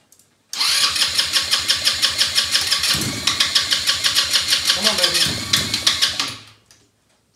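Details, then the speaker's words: Elstar 150cc single-gear 2WD quad bike, long stored, spark confirmed good and a little fuel dropped into the cylinder: the engine catches and settles into an uneven, lumpy beat of about three pulses a second, running rough. Owner thinks it may be out of fuel. "running not very well"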